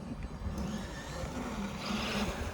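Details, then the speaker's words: Traxxas Maxx Wide Kit RC truck on 3S lipo, after fixing the center diff grinding caused by unkeyed half shells with axle marks not lined up. A light, even drive hum with no grinding or clicking: normal drivetrain running. "anyway she's fixed and i'm an idiot it oh that wouldn't go that far if you were an idiot it'd still be broken"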